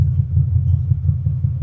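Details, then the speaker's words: 1942 Ford Jailbar pickup, 5-litre 302 EFI AU Falcon V8 through a twin 3-inch exhaust with two mufflers exiting after the diff, started after sitting: a deep, even exhaust burble at idle with no knocks or misses; running well. "sounds pretty good. Yeah, she's running pretty damn good, I must say."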